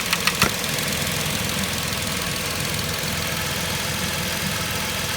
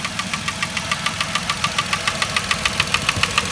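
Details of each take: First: 2010 Vauxhall Corsa 1.0 Ecoflex three-cylinder engine, rattle traced to worn inlet manifold swirl flaps; with the swirl flap vacuum pipe pulled off, idle is smooth and even with no tapping after a brief click, so the engine sounds healthy. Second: 2010 Vauxhall Corsa 1.0 Ecoflex three-cylinder replacement engine at idle: sharp even tapping 3–4 per second, sounding like big-end knock, actually worn ECU-vacuum-controlled swirl flaps rattling in the inlet manifold.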